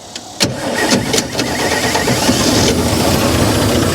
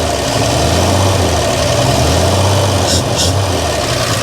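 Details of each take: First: 1955 GMC 350 grain truck; starter whirs, engine catches with a bang and runs ragged and uneven briefly, firing only on fuel poured into carburetor, no fuel supply. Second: 1955 GMC 350 grain truck engine at a steady, lumpy idle with an even low beat, running on fuel poured in by hand until it runs out of gas; runs fine.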